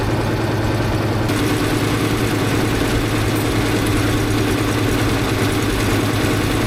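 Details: 1964 International Harvester Travelall C1100 during ongoing fuel system work, coolant temperature being watched: deep loud idle with loping, uneven beat never settling into steady rhythm; rough idle, cause not yet found by owner.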